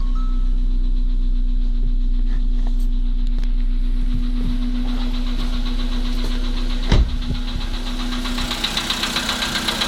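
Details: Volkswagen Polo sedan: steady idle with a dull knock about four beats a second over the low rumble, sharper after a small blip; source not pinned down.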